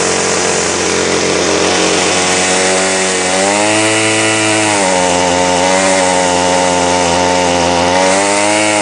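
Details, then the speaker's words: Ryobi two-stroke line trimmer that won't rev: buzzy flat pitch lifting only slightly, never reaching full revs, heaps of smoke from exhaust; fuel mixed with too much oil. "hmm did you notice what was coming out this direction here heaps of smoke"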